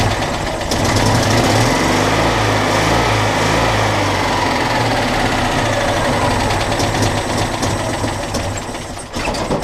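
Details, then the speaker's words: Citroën Dyane 6 old twin-cylinder at idle, no longer holding idle and backfiring a little: hunting, stumbling uneven beat that nearly dies; dirt got past the fuel filter into the carburettor, later fixed. "par contre maintenant un problème elle ne tient plus du tout le ralenti à pétarade un peu un pétard et non un pétard a beau mais c'est pas le top"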